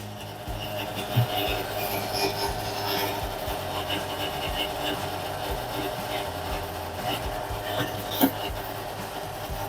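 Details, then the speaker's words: Electrolux Perfect Care 500 7 kg front loader showing an E10 error on a quick 20-minute cycle: faint steady electrical hum with no water rush, as water is not entering the machine. The faulty inlet valve was replaced. "can hear some noise from the abnormal noise from the inlet valve. Water should take inside the machine, but water not take into the machine."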